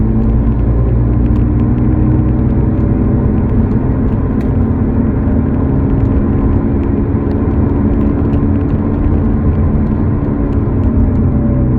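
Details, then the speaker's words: Car driving over 40 mph: steady low hum under road noise, louder when accelerating and dying down off the pedal, from a worn rear wheel bearing; replaced with a second-hand bearing, now quiet. "so it's one of the back wheel bearing that has an issue causing that humming sound"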